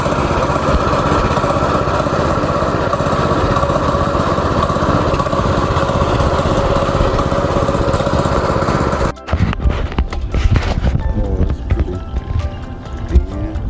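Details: Go-kart small engine after carburetor cleaning, screwing the main jet fully in and tightening a loose part: steady, even putter for about nine seconds with no misses or knocks before music; runs cleanly.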